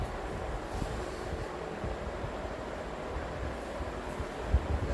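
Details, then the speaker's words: Vintage Emerson box fan, probably 1960s, after cleaning and motor oiling, intake mode on low speed: soft even airy whoosh with low rumble, no ticking or rattle; very smooth and somber, normal running. "Yeah, very smooth fan here. Very somber on low."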